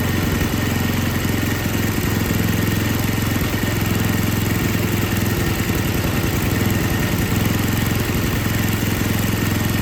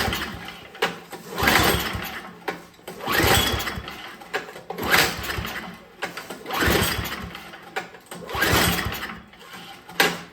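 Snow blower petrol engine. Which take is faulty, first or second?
second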